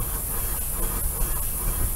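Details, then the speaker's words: Steam engine from 1888–1898, formerly used for brick making in Missouri, running on compressed air: steady airy hiss with soft even chuff, clicking along smoothly with no knocks; normal running. "just clicking along that sounds pretty"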